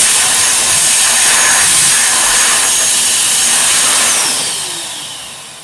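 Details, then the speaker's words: Restored, tuned-up 1949/1950s Electrix paint sprayer blower running after refurbishment: a steady, high, airy roar with an even hiss and no knocks or rattles, then winding down. The blower runs healthy. "Yeah, it's pretty flipping cool, and it works really well too. If I plug it in now, it sounds really well."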